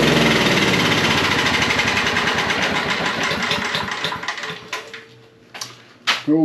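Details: Generator after parts replacement, running with a vacuum cleaner plugged in as a load: a steady, even buzzing beat for several seconds, then it winds down and stops; no misfires or surging.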